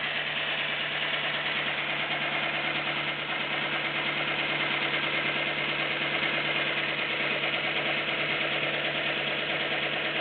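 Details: Nissan Micra 1.0 16V, noise improved after belt tensioning: steady idle with light fast ticking about one and a half per second; valve tapping at idle, suspected, not confirmed.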